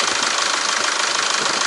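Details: SsangYong Rexton W 2.0/2.2 LET diesel with P2100 throttle valve circuit code, throttle duty 99.5% after key-on and start: steady even idle with light regular clatter, no misses; throttle part fine, ECU suspected.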